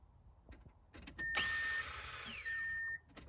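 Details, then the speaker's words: 1997 Subaru Outback with 230k miles, fuel pump reconnected after being found dangling out of its bracket: high whine at key on that holds about 1.5 seconds, then stops. Pump primes normally; owner suspects a bad ground. "i'm probably going to stick a zip tie around this and get it to seat better because it must need to ground there or something because obviously it's working again"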